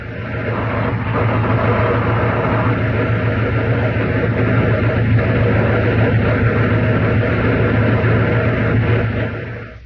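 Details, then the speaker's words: Air-cooled Volkswagen engine running with a worn generator bearing: a steady drone with a rough, gravelly rumble underneath. "Then the sound of a car running with a worn generator bearing."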